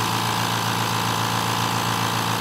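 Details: Steady, even hum with smooth airy hiss and no knocks or rattles from the 2-gallon compressor with a large motor, running quietly and healthy.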